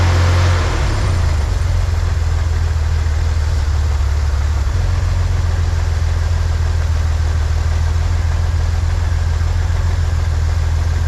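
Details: 1963 Corvair engine after vacuum leak fix, new PCV valve fitted and capped: smooth, even low idle sitting a touch fast, no misfires, ticks or hunting; idle mixture at the sweet spot, idle speed still slightly high.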